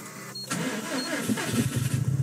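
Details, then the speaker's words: 2007 Subaru Impreza WRX STI (Japan import), push-button start with clutch in: the engine catches after a short crank, then idles lumpy and uneven because of a misfire and doesn't like to idle. "sounds a bit weird when you start it up because of the misfire it doesn't like to idle very well"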